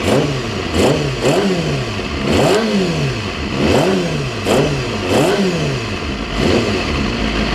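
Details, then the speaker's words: Honda CBR250RR (MC22) four-cylinder after new carb boots and carb sync with a Morgan Carbtune; steady idle with about eight quick, clean throttle blips rising and falling evenly, no hanging or surging; crisp normal throttle response. "yeah hear the exhaust tiring is just that b b Rumble sounds awesome yeah uh throttle this one is awesome"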